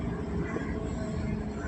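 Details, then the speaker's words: Hyundai i20, petrol, idling with check-engine light: lumpy, uneven idle with stumbles and jerks; scanner shows random multiple-cylinder misfire and cylinder 3 misfire, spark plugs to be checked first. "Random multiple cylinder miss firing detected और दूसरा जो fault आ रहा है cylinder number three miss fire आता है आ रहा है"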